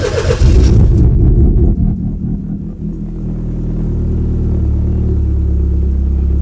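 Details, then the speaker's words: Cosworth YB turbo-engined Mk1 Ford Escort, Bosch Motorsport pump primed, first start in 5 weeks after fuel leak and catch-can separator refit: catches fast, flares, settles to steady cold tickover about 1,000 rpm, good oil pressure, no boost, no leaks. "Cool. We got a constant fuel pressure ticking over at 1,000 revs. There's no temp in the oil yet, but we got plenty of oil pressure. Not making any boost. It's just idling."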